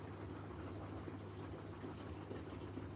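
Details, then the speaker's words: LG direct drive washing machine with water level increased by owner: low steady drain pump hum under sloshing water as the pump kicks in, no rattle or strain; draining normally. "Now the pump is kicking in. I wish the pump would kick in all the time."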